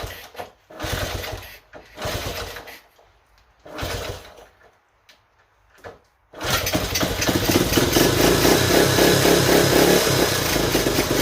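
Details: 1970 Honda Trail 90, previously non-running (reportedly overheated), first start before carb cleaning: several sputtering start attempts, then uneven lumpy idle that hunts and stumbles; needed choke feathered, owner suspects clogged pilot jet; carb screen later found with debris.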